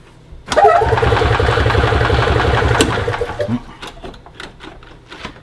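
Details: 2002 EZ-GO TXT gas golf cart that previously wouldn't crank at all, after repairing a broken wire: starter engages right away, engine chugs and fires with a quick steady beat for a couple of seconds; cranking circuit working again.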